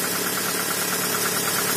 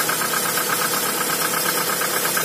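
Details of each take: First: Toyota RAV4 cold start after sitting two days in snow, after cleaning carboned spark plugs and setting gap to 1 mm: cold engine idles evenly with a light, quick, regular tick; owner suspects a hydraulic lash compensator slow to pump up. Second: Cold Toyota RAV4 started after two days standing in snow, spark plugs gapped to 1 mm and temporary ignition-lead repair: steady, even idle with only a faint light ticking, suspected hydraulic lash adjuster; running smoothly, normal.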